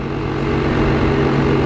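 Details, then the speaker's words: Sibon vacuum sealer, new, wouldn't draw air because its exhaust air hose was kinked/blocked; now running: steady low hum, even drone without stutter or rattle, pump drawing air normally. "Oke, udaranya mulai tervakum alias dihisap. Jadi kalau sudah terhisap seperti ini, teman-teman nanti bisa dipres atau ditutup."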